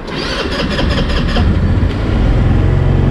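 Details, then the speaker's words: GY6 scooter, just refueled after running out of fuel: slow, labored cranking about four to five turns a second before catching and settling into a steady run; starter motor getting weak, needs replacing. "uh the starter is getting pretty weak i'm gonna need to order a starter for this"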